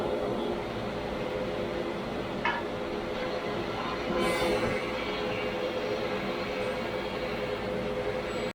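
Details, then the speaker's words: 1985 Grizzly G1021 15-inch planer with new V-helical cutterhead and 2 HP motor, planing wood: even steady hiss and rumble, no knocking or chatter, far quieter than before; normal planing cut. "uh literally have no idea how to show this to you guys that uh this thing's noise reduction is drastic"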